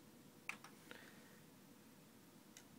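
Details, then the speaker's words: Marantz CD67 CD player (CDM12.1/VAM1202 transport, Digital Servo Driver) with No Disc error: only faint ticks and clicks, disc never spins up; focus gain too low from factory, not a bad laser; fix is a 47k resistor across R112. "now this symptoms uh are not always due to a bad laser in this case the focus gain is too low by Factory"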